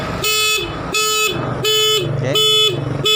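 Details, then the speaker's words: Motorcycle with an anti-theft button switched on: forcing the ignition key sets off loud, sharp, high half-second beeps repeating about every 0.7 seconds, and the engine is locked out and will not start. "he alarm will turn on, when the ignition key is forced to use what kind of language it is Key T Yes, like this, it turns out that it sounds like this, it doesn't even start, yes, friends, it doesn't work"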